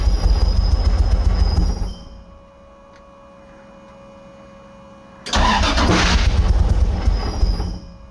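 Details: 2JZ-swapped Nissan 240SX on a new wiring harness, fuel system not yet hooked up, run on starting fluid: two cranking bursts catching roughly, never idling; sputtering start from no fuel supply, open vacuum ports also noted.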